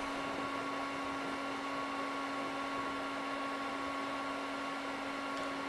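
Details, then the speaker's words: HP 6002A 0–50 V power supply powered on after repair of its fan: constant, even, mid-pitched hum with no rattle, scrape or pitch wobble; cooling fan running smoothly. "so far so good sounds like a fan instead of death"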